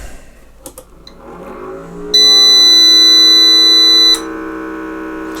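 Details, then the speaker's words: Trust PW-4130M UPS switched on with no AC power connected, with its exhaust fan bearings failing: a rising whir, then one shrill beep held for about two seconds, warning that it is running on battery. "and it beeps a bit since it doesn't have AC power"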